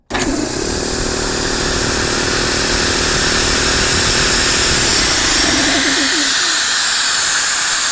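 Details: Free air compressor after loose debris was blown out of the motor by spinning it: it spins up at once and holds a steady, even high whir with a hiss of air, running normally.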